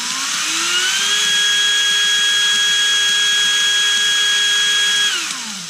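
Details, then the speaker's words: Erbauer 18V brushless drill run in the opposite direction: whine climbs to a steady pitch, holds about four seconds, then winds down; direction switch and variable speed both work. "and it does. So, the switch and the variable bit seem to work."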